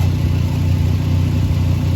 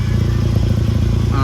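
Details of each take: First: 2011 Volkswagen Golf Mk6 wagon after welding exhaust holes with spare parts: steady even low idle, no puffing, ticking or blowing at joints; exhaust now sealed and quiet; normal exhaust at idle. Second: 2011 VW Golf Mk6 wagon: loud, raspy low engine drone with chuffing puffs as exhaust escapes through a big hole at the top of a clamped pipe joint; exhaust leak.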